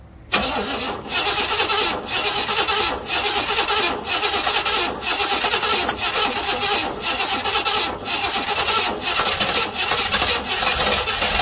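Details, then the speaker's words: 1968 Buick Riviera parts car V8, timing reset and fuel bowl filled by hand to prime fuel pump: starter turns engine over in steady pulses about once a second but never fires; cranks without starting, owner checking spark plug wire order. "It's trying to start, but something's not happening."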